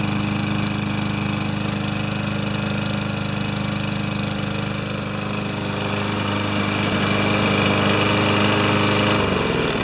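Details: Older Yard Machines mower with a Tecumseh engine, found with no maintenance and no oil, after a full carb clean and repair: a steady, even single-cylinder putter at constant speed with no misses or knocks. It is running healthy.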